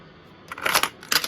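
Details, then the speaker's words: Panasonic 1297 OEM stereo from an NA Mazda Miata with suspected broken solder joints: two short bursts of clicking and whirring as the cassette mechanism tries to grab the tape, then quiet; the deck won't load. "Let's see what's happening. Okay. Cassette deck won't load."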